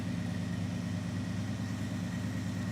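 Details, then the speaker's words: Dodge Charger with 5.2 L V8, seafoam added to crankcase, engine not yet warm: steady, even idle with smooth low rumble and no ticking or misses after a brief tick at startup; sounds healthy. "Yeah, Steuart, you guys heard it. Yep. Yep. It sounds nice."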